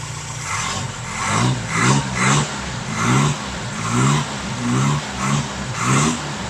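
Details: 1971 Toyota Celica TA22 project car, freshly fitted carburetor and new fuel pump, first drive in about a decade: engine catches and is blipped in short even rev bursts about once a second, pulling up cleanly each time.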